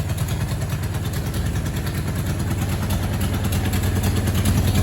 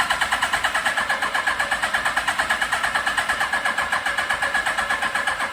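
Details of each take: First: 1982 Suzuki GS1100 four, first start in over 20 years, carburetors choked off with taped cardboard, still cold: uneven but steady low thumping idle, slowly firming up without stumbling; running fine. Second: 1982 Suzuki GS1100 motorcycle, not started in over 20 years, good compression but carbs running lean (towel over air filters): steady starter churning about three beats a second with no firing as the battery dies; cranks, no start.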